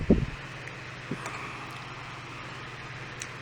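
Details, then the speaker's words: Fan on an APC Back-UPS 450 setup running on line power at 120.4 V, before switching to battery mode: after a brief knock, a faint steady hum and airflow with no wobble or rubbing, the fan blowing strongly. "And we can see on the line we're reading 120.4 volts fan in the picture. See the fan is blowing up a storm."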